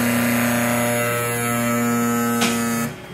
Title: sparx sharpener noisy sound